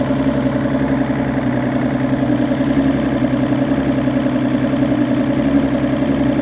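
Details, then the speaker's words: Evinrude E200FP outboard that only starts when fuel is poured into the cylinders, running after that priming: smooth steady idle, even low burble with no stumbling or knocking; fuel filter or fuel pump suspected, EMM, capacitor, stator, plugs and starter already replaced. "Arranca perfecto, pero obviamente no debe de ser así."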